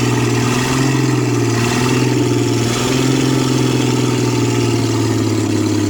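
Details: 1966 Ford Mustang V8, reassembled, jump-started, open exhaust manifold: loud and raw, hangs high and wanders, not returning all the way to idle and dying when it does; oil pressure good; owner suspects carburetor needs rebuild or vacuum leak.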